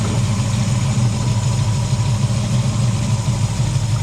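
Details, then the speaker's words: V8 with cheap Summit Racing distributor, fixed after failure by replacing a roll pin; deep, even burble at steady idle with no misses, knocks or ticks; normal idle. "So yesterday this was disabled at the bottom of your hill, and by replacing a roll pin, she's good as new."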